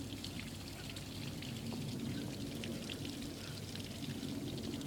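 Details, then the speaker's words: Evinrude Starflight 100hp two-stroke outboard, engine off, mixed gas with TCW3 oil: soft, uneven trickling and gurgling as the primer bulb is pumped and fuel runs into the carbs; normal fuel priming. "you can hear it flowing into the carbs seems like that's pretty good"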